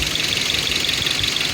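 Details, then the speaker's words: Engine after cylinders were soaked with oil and turned over without plugs, raising compression from 60/30/20/60 to about 160/155/155/160 psi. Temperature good; steady, even idle with no misses or knocks and only light upper clatter. "Did that twice, put it back together, and now she's running good."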